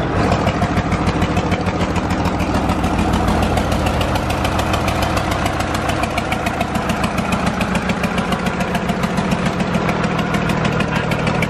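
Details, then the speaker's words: John Deere 4040 diesel tractor just revived after sitting for years: steady idle thump with a slight unevenness from a lazy cylinder, running fairly well otherwise. It is not firing on cylinder number five, and the owner thinks longer running will fix it. "there you have it guys our John Deere 4040 is alive it's not firing on cylinder number five but it probably will if we let it run for a little bit longer"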